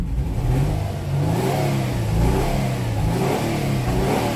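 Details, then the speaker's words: 2009 Nissan Maxima 3.5 misfiring with no codes: a snap throttle at low rpm stumbles, then clears up around 3,000 rpm. Arcing ignition is suspected; the coil itself is doubted and the cylinder is not yet identified. Ignition misfire. "Snap throttle, misfire, rev it up around 3,000, clear up. Yeah, you know what this is. This gotta be an arcing condition all day."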